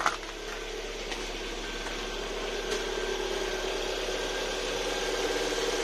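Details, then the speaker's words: Lada Vesta at warm idle once the computer triggers the EVAP canister purge valve; fast, light ticking rattle about three per second over the quiet idle; purge valve chattering, fixed by adjusting the valve. "заведем наш весточку сейчас она прогреется компьютер даст сигнал сработает датчик мы слышим характерный звук клапана"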